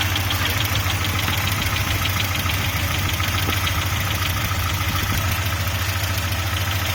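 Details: Audi 80 B3 engine at steady idle with a fast, fairly regular ticking knock at about 200 a minute; internal engine knock, cause not determined.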